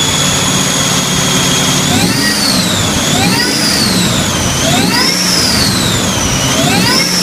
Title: Weird noise